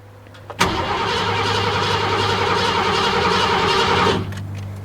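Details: 1986 Ford F-150 5.0 L cranking during a spark test: starter spins the engine at an even fast rhythm for about 3.5 s but it never fires; crank, no start, though intermittent spark is confirmed.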